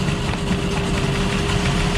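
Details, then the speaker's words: 2005 Ford Escape 3.0 V6 running very rough with no misfire codes. Unplugging a coil makes the idle rougher and lumpier, showing that cylinder was firing. "so I can barely reach the oil connector here for this far end coil which is number three watch if I unplug it doesn't make a difference at all"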